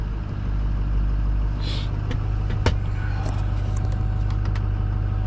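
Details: Ford 6.0 diesel, cold after sitting a few hours, after glow plug repair with air in high-pressure oil system: short crank then steady low idle, smooth and even with no knocks or misses; normal idle.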